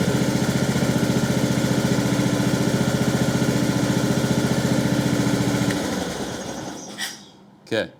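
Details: Husqvarna LT1538/LT1597 lawn tractor, replacement engine just after a quick-start-fluid start, with a muffler rebuilt to the owner's own design: steady, even putter with no misses and a soft, muted exhaust note before shutdown; healthy engine running quietly.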